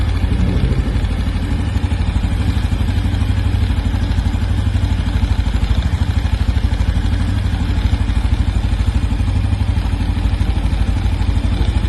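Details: New 2025 Honda Biz 125 single at steady low idle: even, rapid tapping clatter about three times a second; engine clatter, source inside the engine not yet pinned down.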